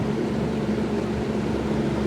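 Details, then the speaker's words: Lasko 6740C box fan started on low after cleaning, motor not disassembled; steady, even whir and constant low hum without ticking, rubbing or wobble, running smoothly. "but anyway we'll start it up on low and yes the pilot L work"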